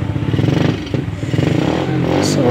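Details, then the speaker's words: Honda XRM 110 after fixing a no-spark, dead-engine fault by replacing the CDI and securing its socket wiring: engine catches and revs up smoothly with an even, steady beat, no misfire or rattle; running normally. "ayan mga ka-YouTube, ganda na yung ating motor."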